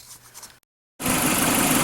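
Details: 2005 Dodge Neon SXT 2.0L after cylinder head replacement, fuel rail re-primed: after a moment the engine catches and settles into a loud, steady, even idle with no knocks or misses; healthy.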